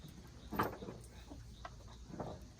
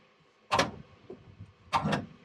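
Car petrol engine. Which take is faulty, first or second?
second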